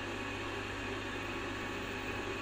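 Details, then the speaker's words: LG front-load washer WD-M1070D6 after replacing the rotor position sensor (6501KW2001A) to cure an LE error: a steady, even hum with the drum turning normally and no more harsh noises. "alhamdulillah nggak ada lagi bunyi-bunyi yang kasar dan mesinnya berputar normal"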